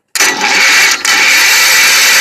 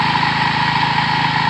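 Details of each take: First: Wheel Horse tractor, believed 1973, 10 hp Kohler, sat three years, cranked via jumper cables: steady high-pitched starter whir about seven seconds with no firing; zero spark. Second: About 1973 Wheel Horse tractor with 10 hp Kohler single, after sitting about three years. Steady, even single-cylinder idle with a smooth low thrum and no misses or knocks, running fine.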